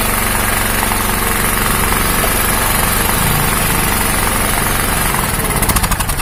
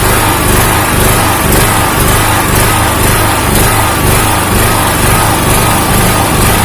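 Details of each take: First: 2000W genset with a Honda GX160 engine, after the faulty ignition coil causing the up-and-down hunting was replaced with a compressor's coil. It holds an even, steady beat with no speed hunting and runs normally. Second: Honda GX160 engine on a 2000-watt generator hunting: a loud drone swells and sags about twice a second as engine speed rises and falls, and the governor is not holding speed. The cause is not yet known.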